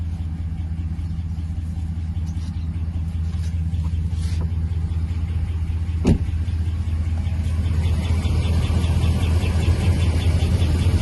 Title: 5.7 HEMI - Ticking Noise in the engine part 4